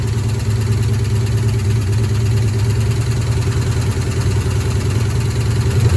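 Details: 1972 Ford F-100 Ranger XLT V8, first start after sitting over 10 years, fuel poured into carburetor bowl: uneven idle with a stumble; miss, owner suspects a stuck lifter.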